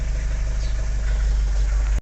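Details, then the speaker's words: Vauxhall Vivaro van with crank-no-start, oil pressure fault and no engine ECU communication after clutch replacement: starts straight up once engine ECU power supply is restored via a 30 amp fuse; even, steady idle, no knocks or misfires; normal idle. "Now we'll see what we're getting on the dashboard. Straight up starting, great result."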